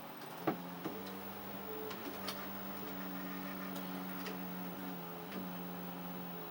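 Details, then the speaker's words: Panasonic NV-M10 VHS camcorder playing back a test tape: low steady buzz on the audio whose pitch rises as the tape motors start, with mechanism clicks; caused by failed Hi-Fi regulator capacitors in the power supply. "another thing you can notice is that the pitch of the buzzing noise changes depending on what the camera is doing if I press play the motors start up it increases and then it drops back down"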